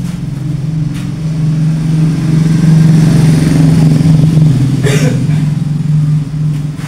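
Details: Honda Revo FI injection moped after fixing loss of spark and non-spraying injector (TPS suspected): engine fires, steady even putter with light rev, no misses or knocks; running normally.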